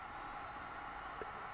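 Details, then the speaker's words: Pro's Kit SS969 hot air rework station with fan turned up to maximum airflow, wand out of holder: steady loud airy rush with even hum, no rattle or wavering; quite noisy but normal. "the fan right up it gets quite noisy as you can hear"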